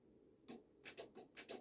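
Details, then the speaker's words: BMW ABS pump motor (code 5DF0), removed and bench-fed 12 V: sharp dry clicks, about seven in under two seconds, with no motor hum; motor seized, brushes suspected stuck against the commutator. "no that's dead there's a dead out you can just about here i don't know if the camera's gonna pick it up that's seized"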